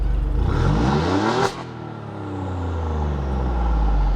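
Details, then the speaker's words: Giulia Quadrifoglio after the shop reverted to stock downpipes and fixed a badly installed exhaust: one free rev that climbs and drops cleanly to a deep, even burble, louder than factory, with no rattles or leaks. "one quick rev free revving sounds a lot better than it did uh from the factory"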